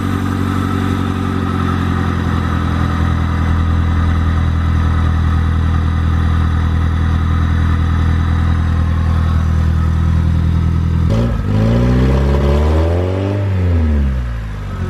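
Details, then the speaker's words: EG8 first start after the build on a snowy day, with the idle air control valve cleaned to cure an earlier idle issue: steady, even idle hum, then one clean rev past 2K that settles smoothly. Sounds healthy; thermostat change still planned. "Pretty sure that was past the 2K, so I think we're good now. She just sounds so healthy, like it sounds really good."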